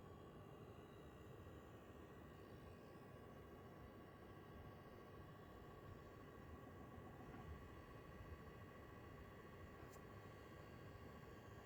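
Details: PS5 with faceplates off, testing on dashboard before gaming: thin, steady high whine near 1 kHz over soft fan rush with faint buzz, coil whine.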